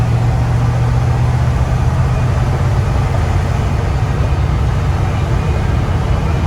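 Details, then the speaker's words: Truck on its first drive after swapping an Eaton axle with 4.56 gears for a 14-bolt with 3.73 gears, at about 50 mph and just over 2000 rpm: steady, smooth low road and drivetrain rumble with no rising whine; much quieter than before. "the truck is so much quieter it's crazy this is definitely worth it it runs so much smoother that is amazing"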